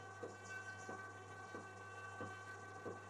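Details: Unit powered through a dim-bulb tester and now working after repair. Steady low mains hum with a soft tick about every two-thirds of a second as the compressor starts and runs smoothly.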